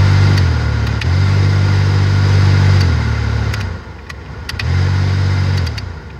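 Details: 2007 Toyota Matrix AC blower fan motor making a loud, low droning hum that cuts in and out, with a few sharp clicks; noisy blower motor.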